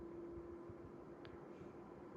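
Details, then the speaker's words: Mid-range air purifier at a middle fan setting: a soft, steady airy hiss with a faint even hum and no rattles or rubbing. The fan is very quiet and runs smoothly. "so very very quiet in comparison with all of them and the fan is really good quality"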